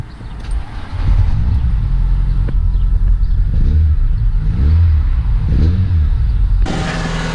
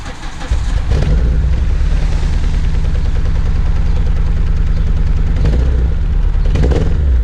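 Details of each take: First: Renault Clio 182 right after replacing the fuel injectors, which had caused a flashing engine management light and fuel pouring from the exhaust: catches quickly, then clean throttle blips rise and fall smoothly with no stumble. Running properly. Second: Renault Clio 182 with flashing engine management light, before fuel injector replacement: engine catches and settles into a loud, deep, lumpy uneven idle suggesting a misfire; owner suspects the fuel injectors.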